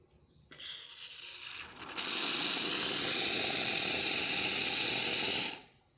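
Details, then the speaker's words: Rocket espresso machine after a full service and tune-up; hot water dispensing gives a steady, bright hissing rush that holds about three seconds and stops cleanly, then the pump refills right away; dispensing normal. "That works great. And see how it starts refilling right away. After it releases some water, it starts refilling."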